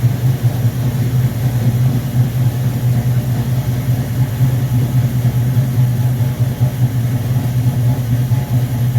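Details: V8 on first start after rebuilt Rochester Quadrajet 7029202 from a 1969 Corvette, bowl damaged by ethanol fuel and cleaned: smooth even idle burble, no misses, hunting or stumble; normal idle.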